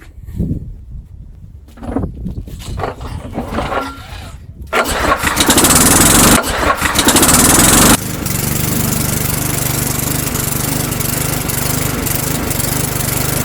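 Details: Old Sears Craftsman lawnmower after repair, oil refilled to full line: a few pulls catch, then a loud, steady, even drone with no misses or knocks; normal running.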